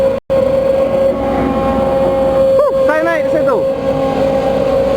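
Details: Case CX210B excavator losing power after about 5 minutes of work: steady fixed-pitch whine over the engine; main hydraulic pump noise suspected, not confirmed.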